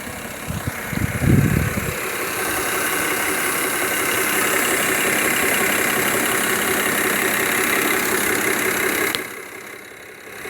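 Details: 2007 BMW 530i E61 touring, N53 petrol straight-six, 6-speed manual: loose steady knock about four per second at idle after light revs, goes away with clutch pressed; worn clutch dual mass flywheel.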